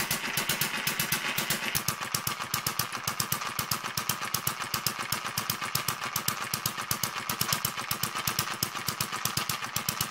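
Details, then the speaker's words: Newly finished Kerzel hit-and-miss model engine, water-cooled with spark ignition, still running in with a stiff governor and tight, noisy gears. Crisp, sharp firing clicks at a fairly quick, even pace. Running steadily during break-in. "Um like I was saying at the moment the engine's still running in. So all the mechanism for the governor is still quite stiff at the moment. The gears are quite tight as well, so they're a bit noisy until it starts to run in."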